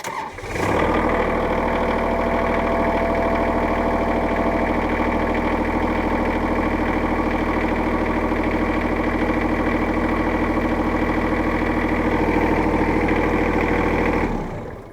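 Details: Kubota L3800-era diesel tractor, after a no-start caused by a stuck speed-control (forward/reverse) pedal plunger switch: cranks briefly, catches and settles into a steady, even idle with no misses or knocks; normal start.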